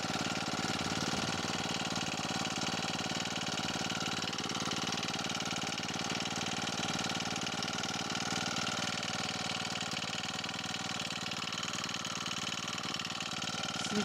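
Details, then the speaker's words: Akita trimmer with four-stroke Honda GX35, fourth season, just cold-started on original spark plug: steady even idle buzz, no misses or knocks, speed holding flat; runs healthy. "Ну вот. Это на холодную она так заводится."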